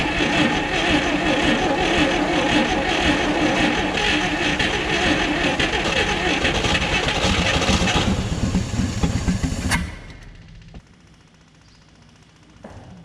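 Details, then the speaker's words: 1959 Chevrolet Apache with original straight six, 1-barrel carb and 3-speed, first run after about 36 years sitting. Steady, even running for eight seconds, then switched off and winds down. Normal running. "I shouldn't have shut it off, I guess. It was actually running pretty good. Not gonna lie."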